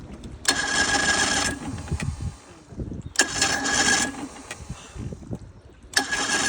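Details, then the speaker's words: Vintage outboard on a barn-find boat, first lake start in 20+ years, choke on, cover off: short bursts of ragged firing that fade, sputtering and not settling; owner suspects it's not getting enough fuel yet, later idles. "still doesn't see it's getting enough fuel yet yeah it's close"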